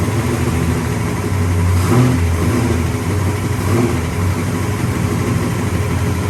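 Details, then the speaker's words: 1966 Pontiac GTO convertible V8 after white-smoke repair on a new engine: deep, even burble with a couple of light throttle blips, no miss or knock; idles healthy, only slight blue smoke. "she sounds good well that's a result"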